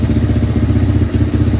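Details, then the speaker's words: 1987 Yamaha Moto 4 200 ATV, single cylinder, cold, on full choke after carb cleaning: runs fast and fairly even with a slight dip, idles and drives; only runs on full choke, owner suspects too lean, adjusting air screw (two and a half turns). "It's got a good idle and I can drive it around. So, I'm going to end up miss the air screw cuz I'm guessing that's too lean."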